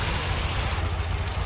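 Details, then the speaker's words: 1966 VW Type 3 Fastback, first fire-up after fitting an ISP West performance exhaust (header, J-tubes, over-the-top muffler), header wrap warming: deep, even low burble with no blowing or rattles, still nicely quiet; normal exhaust note. "definitely the best the cars ever sounded i will say the car still is actually nicely quiet"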